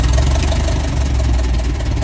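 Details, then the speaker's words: Massey Ferguson 135 tractor petrol engine idling smoothly at about 300 rpm, slow steady even thump; running better after last week's carburettor work, though the carb is now dripping slightly and may need removing again. "Yeah, it's running better now, so probably didn't have to do the carb on it there last week, but we did anyways"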